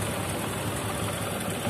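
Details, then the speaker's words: Honda Supra 125 single-cylinder at idle: light fast rattle over steady idle from slack cam chain; cam chain tensioner soft, spring possibly worn or nearly broken (owner unsure); chain itself seems still good; tensioner previously modified/lengthened. "Komponen ini sudah lunak, tidak bisa menahan lagi karena pegasnya mungkin sudah aus atau mungkin hampir patah, teman-teman. Saya tidak sepenuhnya yakin, tetapi masalahnya di sini adalah berisik."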